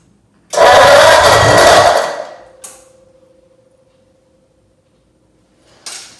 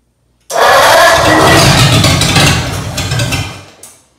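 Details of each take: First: Ford 8BA flathead V8 (1949-53), spark confirmed, fuel bowl empty, only a squirt of fuel in the carburetor: brief cranking that never catches into a steady run; no fuel from pump, owner suspects pump valve. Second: Ford 8BA flathead V8 on an engine stand after sitting at least 6 years, with oil primed, plugs and points cleaned and spark checked. It catches almost at once on a squirt of fuel in the carburettor, with an empty fuel bowl. It runs unevenly for about three seconds, then dies. First start after long storage.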